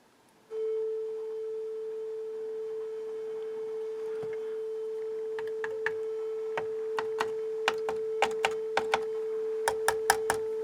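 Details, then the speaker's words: Sony TA-F40 amplifier on speakers with a tone source: steady test tone broken by sharp irregular crackles, pops and buzzing as audio cuts in and out, intermittent channel dropout from a bad output ground. "There, it's back. You hear it buzzing as it goes in and out."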